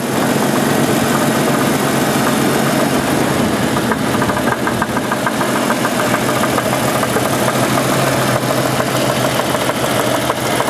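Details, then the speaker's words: 1988 Jeep 4.0 Renix engine at idle: even idle with a light, uneven knock about three a second that disappears at road speed; owner thinks not rod knock, suspects piston slap or a loose flex plate bolt. "I know it my guess is it's not a rot knock because rod knocks brought knock all the time soon as you have a little speed to this go down the road the sound goes completely away"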